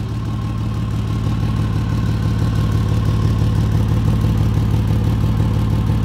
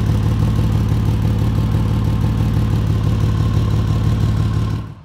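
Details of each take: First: 2004 Ford Ranger petrol engine idling: a deep, rhythmic "blump blump" puttering from an exhaust leak just ahead of the flex pipe. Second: 2004 Ford Ranger idling, steady deep even rumble with no ticking or puffing after temporarily patching an exhaust leak ahead of the flex pipe; sounds better, possibly more leaks further down.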